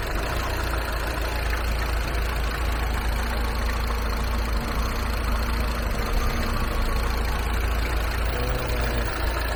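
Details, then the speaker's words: Mini Cooper S R56 at idle after the VANOS solenoid valve was replaced: a steady low hum with a faint light rattle and slight unevenness. It is unstable just after starting, stalls with the AC on, and shows a check engine light. Owner suspects the high-pressure pump and tensioner. "エンジン音もね、ちょっとね、ソレノイドバルブ変えてからは結構マシにはなってるんですけど、これが症状なのかどうかわからないけど、若干、カタカタいけますね。"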